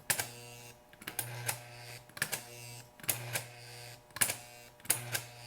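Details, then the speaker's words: Rebuilt 1949-1956 Type I 720A remote-control switch pair, tested without lubrication between frog and roadbed: regular clack-buzz-clack cycles about every second with a brief low hum between. The solenoid coil and plunger throw the frog cleanly and firmly. "It has enough resistance, I believe, to withstand the locomotives, and yet the solenoid is strong enough and clean enough that it is moving the frog back and forth."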